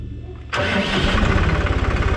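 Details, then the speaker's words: Massey Ferguson 266 tractor diesel after full rebuild: engine catches at once and settles into an even, steady idle knock with no misses; healthy cold start. "çalışıyor herşeyiyle sıfır oldu bize geldi"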